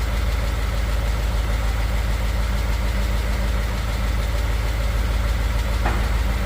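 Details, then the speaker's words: 2015 Ford F150 Coyote V8, fresh VR1 20W50 oil, mic on toolbox; cold steady idle with light quick tick about three per second, heard by exhaust not engine, usual Coyote tick, fades in a minute or two once warm. "It's got the little coyote tick that's going on, which happens all the time. Here in a minute or two it'll go away."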